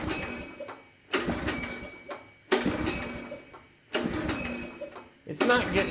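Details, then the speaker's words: 22-year-old 1998 Makita G1300R portable generator after tank, carburetor and strainer cleaning: four rope pulls about every 1.4 seconds, each a short cranking rattle that never catches; no start because the choke lever linkage was disconnected (missing spring). "Aha, putting it in the choke position does nothing. There was no spring when I took everything apart and I completely overlooked the fact that the control lever wasn't connected to anything."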